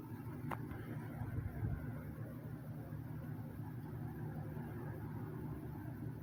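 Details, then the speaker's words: 2006 Lasko 3733 box fan, restored, with spliced cord, running on low speed; soft, even hum and air whoosh at constant speed, no rattles, scraping or wobble; normal running on low. "i guess i'll go ahead and i'll start fan up now and we'll start it up here on well let's start it up on the low speed"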